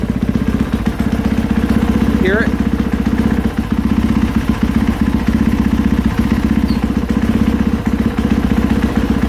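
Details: 2020 KTM 450SXF idling, clutch pulled in and let out: a light, uneven tapping or clunking from the clutch area, caused by worn rubber clutch dampeners.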